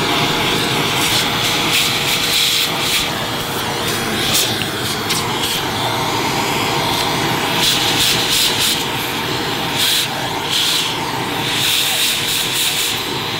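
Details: Electrolux Turbo 2 Z1070 upright vacuum cleaner, motor full of fluff inside: harsh, high-pitched rushing whir with a thin steady tone and scratchy rasp; motor bearings sound dry.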